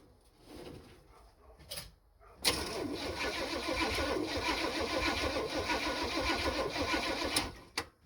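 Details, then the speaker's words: 1974 Chevy C10 that sat for a while, first crank attempt: starter turns the engine slowly, about three and a half turns a second, never catching; slow cranking, no start. "All right, we got crankage. Was it fast? No, not at all."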